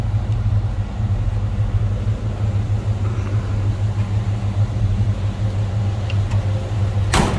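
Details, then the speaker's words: 1969 Chevrolet C10 half-ton short box with a 350 V8 and TH350 automatic, mild exhaust, idling after an easy start: deep, steady burble with no knocks or ticks over it; a healthy small-block rumble. "running nothing too crazy on the exhaust side of things just a nice Rumble coming out of that 350."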